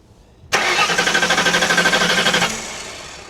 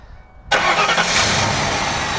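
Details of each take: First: Hurricane-flooded 1992 Ford Crown Victoria, 11,000 miles: starter cranks in even pulses about three a second for two seconds, never catches; no spark found, crank no start, computer suspected. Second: Hurricane-flooded 1992 Ford Crown Victoria, reportedly 11,000 miles, started after wiring work with fuel pump relay heard priming: silence, then the engine catches and settles straight into a steady, even idle; normal start.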